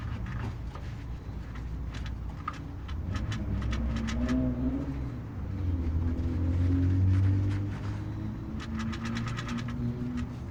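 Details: Honda Fit with engine running: bursts of light rapid clacking coming and going over the idle; air-conditioning compressor clutch knocking.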